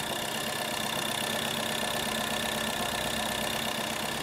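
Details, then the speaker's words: VW Polo 1.2 petrol idling with another engine's wiring harness swapped in to test the wiring: idle has an uneven beat, roughly two to three stumbles a second; engine still misfiring, cause not yet confirmed. Misfire at idle. "कर दे भाई अब आपने भाई condition देख ली है गाड़ी missing अभी भी कर रही है"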